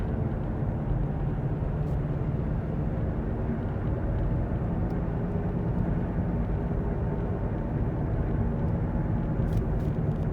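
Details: Worn hub bearing heard from a tyre while cruising, recorded from the passenger side: a steady low droning rumble, a hollow growl over road noise, heard as gogogo, rururu, won-won, gorogoro.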